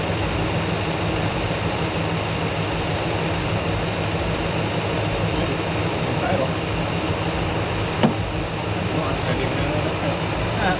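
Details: RAM truck on first start after engine work (around $5k engine): steady even idle with low constant rumble and no knocks or ticks; engine runs fine, a code remains to check.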